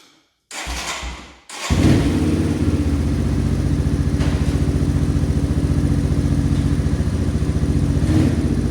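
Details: 1989 Yamaha Moto4 200cc quad after new timing chain, refitted with old carburetor and old throttle cable: starts after brief crank, settles into even steady single-cylinder beat with clean throttle response; runs fine.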